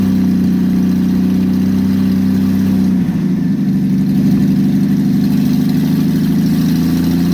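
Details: Engine with aftermarket Monojet carburetor freshly installed, exhaust off, start after about 3 weeks sitting; loud open-exhaust idle with uneven lumpy throb shifting pitch, rough idle; owner suspects idle or mixture needle setting, choke needs adjusting.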